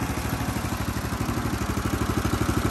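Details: Homemade go-kart with Honda GX390 single-cylinder engine, after carburetor idle adjustment: steady even thump about ten beats a second, no misses or surging; settled normal idle.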